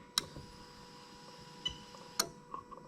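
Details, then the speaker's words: Lexus LS430 (2000–2003, 3UZ-FE VVT-i, new engine harness), fuel pump switched on via Techstream active test: sharp relay clicks at the fuse box over a faint steady hum; relay switching normally. "i'm going to go over to the fuse box you can hear the relay clicking"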